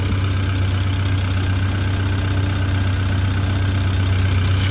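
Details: Tennant M20 sweeper with a Vortec 1600 gas engine, first start after a head gasket and timing belt job. Even idle at about four beats a second, no knocks. Normal idle.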